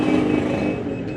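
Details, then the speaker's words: Aftermarket Android anti-theft alarm on a 2020 Yamaha NMAX, armed, triggered by moving the scooter: thin, steady electronic buzz from the alarm's stock small sounder over quiet surroundings; alarm working as it should. "bunyi kecil ya tapi bunyi ini bisa diganti dengan sirine atau dengan klakson ya bebas"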